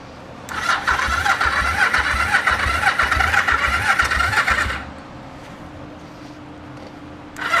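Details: 1974 Yamaha TX500 after 20+ years stored, freshly fueled (rusty tank, possible leak): the starter spins it at about four pulses a second without catching. Spark confirmed; owner suspects it isn't getting fuel.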